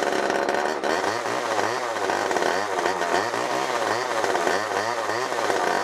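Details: Garbage-picked old Homelite XL automatic-oiler two-stroke chainsaw, revived after spark check: revs surge, ragged at first, then steadier as the carb clears itself out.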